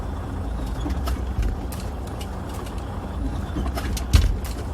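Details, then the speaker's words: Freightliner Cascadia truck on rough road, noise also when taking off: irregular hollow clunks and knocks over road rumble with each bump, from a broken cab mount. "and especially when you go on a bad road like this he's gonna make a big noise when I hear it really what you hit it so that is cows because the motor mouth is broken"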